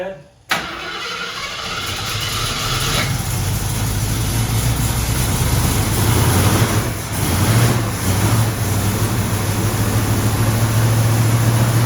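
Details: 1974 AMC Javelin after valve cover gasket replacement: cranks, catches and settles into a fast raised idle that never drops; choke stuck on because the heat riser brass fitting was not hooked up.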